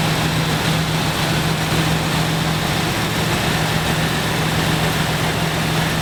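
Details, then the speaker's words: 1970 Dodge Challenger T/A 340 V8, just started after nine years in storage, not yet warmed up: even steady idle, no lifter clatter or stumbles, no fuel leaks. "with the 340 up and running Nick makes sure this good oil pressure and listens for any clacking from the lifters."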